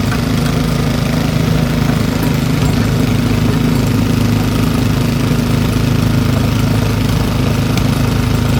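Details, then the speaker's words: Old Briggs & Stratton single-cylinder petrol engine rescued from the trash, running after opening the carburetor needle valve; smooth enough to hold with one hand, idle screw backed out for a steady low idle with no misses, knocks or surging. "look how smooth that is I can hold it with one hand somebody had that thrown away see how low it'll go backing out the idle screw"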